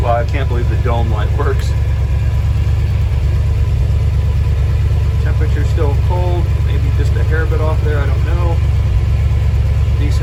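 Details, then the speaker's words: 1968 Dodge D-100 318 V8 first started, fed from a fuel jug, cold: an even, steady low idle with no knocks or misses, "like a sewing machine", with oil pressure and the alternator charging. "listen to that it's like a sewing machine"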